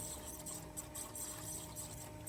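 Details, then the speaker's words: BMW E39 530d (M57 diesel) no-start: faint steady hum of the under-driver-seat fuel pump running, with gurgling and bubbling in the clear fuel line, but almost no fuel arriving; in-tank pump suspected, fuel pump then replaced. "Comme vous pouvez l'entendre, et comme on le voit ici, celui situé sous le conducteur fonctionne, mais il n'y a pas d' arrivée de carburant."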